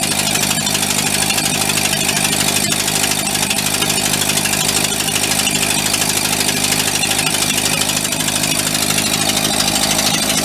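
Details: Vintage sprinkler blowout air compressor engine that stalled under load, governor diaphragm adjusted to touch, unloaded: runs fast and harsh with buzzy exhaust, holding speed while governor arm is checked; diaphragm had been stuck, crudded up.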